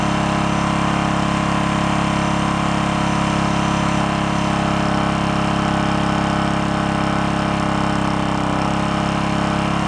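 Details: Onan K450 small portable generator, long-stored yard-sale unit, started on choke during air-fuel mix adjustment: even, unwavering drone, no hunting, surging or misfire; mixture sounds right and it runs smoothly.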